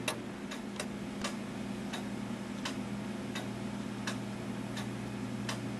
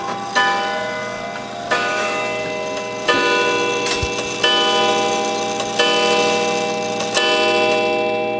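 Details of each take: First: Gilbert 1913 count-wheel clock movement: a steady tick-tock at about 80 beats a minute, evenly spaced over a faint room hum; normal, in beat. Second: Gilbert 1913 count-wheel clock movement: slow bell strikes about 1.4 seconds apart over a steady tick. The count wheel lever was flipped and a count wheel is not self-adjusting, so the hour strike is off from the hands, likely striking 9 instead of 8.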